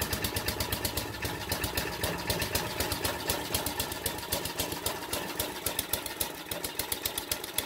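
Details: King O Lawn edger with 2 hp horizontal-shaft engine, first test run after carb clean and rejetting, started with a drill on choke: small single-cylinder engine popping at fairly steady, slightly uneven idle; normal running.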